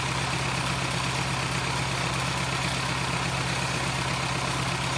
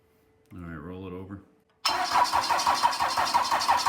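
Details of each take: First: Cummins 4BT diesel, run briefly to warm up: even, steady idle clatter at a smooth regular beat with no misses; healthy engine. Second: Cummins 4BT diesel, second start attempt on a charged battery: steady cranking about three beats a second with no catch; the injectors may need bleeding.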